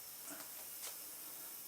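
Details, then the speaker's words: Slayer exciter Tesla coil with a bigger NPN transistor, power supply at max, with a ground wire nearby: faint high hiss with crackling bursts as it fries down low, worrying the builder; the source is unconfirmed, and the wire end got hot. "all right we're frying and stuff frying down here which i'm not very happy about"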